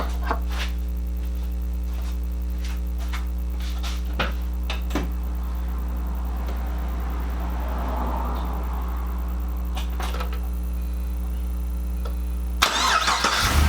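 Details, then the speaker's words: Pontiac (GTO/Trans Am repair vlog) idling after belt work to cure a belt squeal: a low, even idle hum with no squeal or chirp. The engine is back to quiet. "Hell yeah! Back to being quiet."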